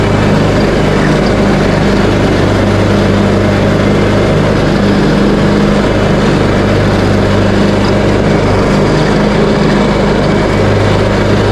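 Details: Craftsman T130 riding mower after fuse and ignition switch panel repairs, mowing end-of-season grass with deck set high: smooth constant low hum from engine and deck, no stumbling or hunting, in good health.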